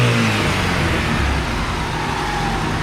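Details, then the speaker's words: 1992 JDM-spec Honda H22A in an EK, warm with thermostat open and fans on, idling at 1100 rpm after wiring and ground repairs with no check engine light: steady even hum, no stumbles or knocks, clean idle. "sounds really good really clean"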